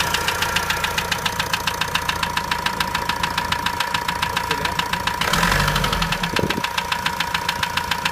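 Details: Renault 2.0 dCi 150 diesel at idle: a sharp, steady metallic ticking at about 3.5 per second over the engine, which the owner reports as abnormal; source not identified.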